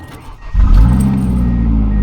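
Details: Ford Escort after ignition switch replacement fixing HVAC blower fault: short crank, then engine fires and settles into a smooth low rumble; normal, healthy start.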